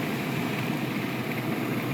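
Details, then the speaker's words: 2000 Saab 9-3 2.0 L turbo with a physically broken MAP sensor (P0106/P0107), in a third-gear pull under boost. A dense, crackly metallic pinging rides over the roar: detonation/spark knock under load. "Now that it's clear, we're going to go for third. That's what pinging sounds like,"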